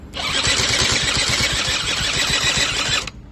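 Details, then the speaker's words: Eaton Beamer III scooter after rebuild, choke on, key/electric start: fast, even whirring crank with regular pulses for about three seconds that never fires; cranks but won't start. "however when you started using this here it doesn't work it'll just keep on making this sound"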